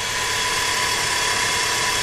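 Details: Rover 25 after a coolant change and after correcting an improperly tensioned cambelt that caused a noise at the cam cover, warming up: a steady, even idle with a smooth hum and no knocks, ticks or misses; it sounds much healthier.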